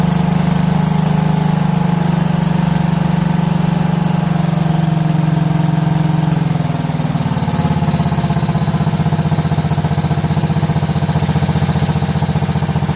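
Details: Cub Cadet tractor with a 13 hp Kohler Command CH13, after cleaning the carburetor, fixing the needle and replacing the double gaskets that caused an air leak with one new gasket. Runs strong and even, then drops smoothly to a steady lower speed; normal running.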